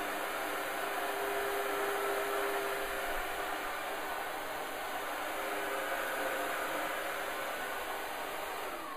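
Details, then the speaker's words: Oreck Commercial PRO12 single-motor upright vacuum running: smooth, even motor hum with soft airflow whoosh, no rattles or pitch wobble; rated below about 68 decibels, normal quiet operation. "how many other great features about this unit is the sound this unit is below around 68 decibels one of the quietest units and all of all vacuum cleaners that are in the upright type design"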